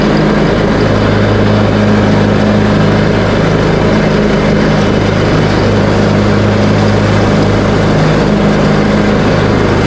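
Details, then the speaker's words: Craftsman T130 riding mower, bought used and just repaired including a new deck engagement cable, started on choke and mowing with blades engaged at a high deck setting: steady even single-cylinder drone, no misses or knocks; running normally under load. "and now I'm going to do a little cutting with it just to show that everything is working properly"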